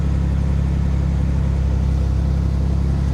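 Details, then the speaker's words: Vehicle at a salvage auction yard, apparently not recently serviced, started with a booster pack; fired right up and idles with a deep, steady, even rumble, no ticks or stumbles: normal idle. "well it sounds like she's got power oh she does let's see what it does fired right up"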